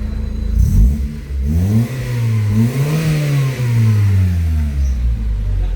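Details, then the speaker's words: 2000 Honda Civic VTi, warm, after idle adjustment brought speed down from the earlier 1,400 rpm: the engine blips up and settles back smoothly several times with no stumble. Normal idle and rev response. "Tapos na yung kaninang ang RPM ay 1,400. Yan na RPM niya ngayon."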